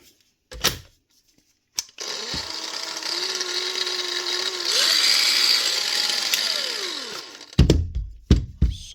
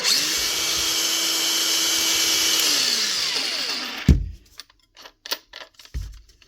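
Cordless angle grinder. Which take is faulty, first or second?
first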